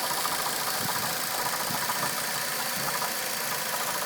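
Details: Bone-stock Mitsubishi Evo X MR at idle with a faint, fast knock under a loud hiss, audible from the cabin at idle and when accelerating, started around 300 miles; cause unknown.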